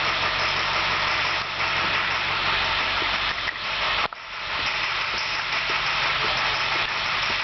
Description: International school bus with a broken injector tip